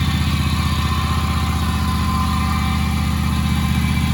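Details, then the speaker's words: Commercial Husqvarna zero-turn mower that sat four years in storage: steady rapid chugging near four beats a second with deep drone as it coughs toward starting after long cranking; cause not confirmed. "but i just cranked it and it was starting to cough so i think you just gotta crank it for a while"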